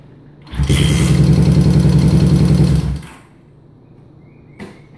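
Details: 1971 Honda CB350 motorcycle that won't start: steady cranking chug about three and a half beats a second for two seconds, stops without ever catching; cranks but won't fire.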